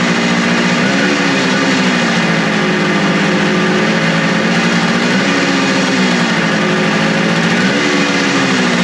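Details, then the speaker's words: Suzuki two-stroke motorcycle after carb cleaning, restarted on choke with throttle adjustments suspected too low: revs hunt and surge every couple of seconds, rough and uneven; both cylinders equally warm, owner suspects fuel starvation. "I don't know if it's starving for fuel. Let's open that sucker up just a hair more."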